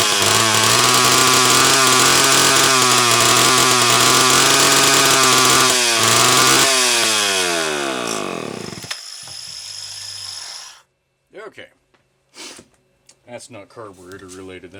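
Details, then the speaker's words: Homelite XL-12 chainsaw on a test run: it screams at high revs, then the pitch sags and it dies out within seconds, cutting in and out despite great spark, an ignition misfire. "so what the ignition problem is I truly don't know but cutting in and out like that is a absolute Surefire sign of an ignition"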